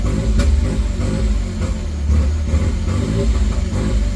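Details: Honda Beat PP1 with a turbocharged E07Z three-cylinder swap, first start on a new Link ECU without a working alternator: low throaty rumble, fairly steady but uneven in places. Trigger errors present; crank sensor possibly not fully seated.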